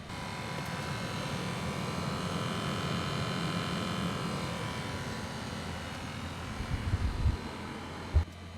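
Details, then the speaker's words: 2005 Lexus GX470 at 276,513 miles, idling: the dash blower motor gives a loud, rough droning roar that has grown louder over months and sometimes won't run without kicking the panel. Worn blower motor, replaced with the cabin filter. "Now you may or may not be able to hear it right now, but the blower motor is going and it is sounding pretty loud. It's been getting louder and louder over the past couple months, and here and then it decides that it doesn't want to work."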